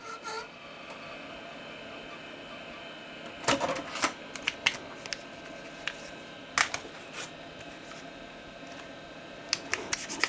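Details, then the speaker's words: Dell 486P/20 (486SX 20MHz) restoration, old stored floppy disks in the floppy drive: quiet hiss broken by irregular scratchy bursts and head clicks, disks unreadable; damaged floppy disk grinding in drive. "These 3 discs all sound absolutely awful in the drive, and obviously, as you saw, were unreadable, which is a massive shame, but we'll come back to that."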